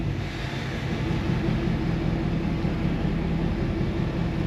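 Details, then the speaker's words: 2016 Ford F-250 diesel after repairing squirrel-chewed crank position sensor wiring, new fuel filters and battery reset: starter turns engine over slowly and steadily several seconds without catching; extended crank persists, sensor or wiring suspected. "I'm not too sure. So, it still has that extended start and I'm not sure why. Like I said, I figured that crank position sensor would have fixed that."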